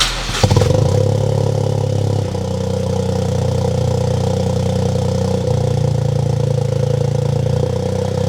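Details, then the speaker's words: Freshly built Toyota GR Corolla after new spark plugs, factory fuel injectors: fires and settles into steady even idle; cylinder 1 and 3 misfires gone, cylinder 2 only 2 counts. "Not even joking, replacing the spark plugs has made the misfires on cylinder 1 and cylinder 3 completely go away."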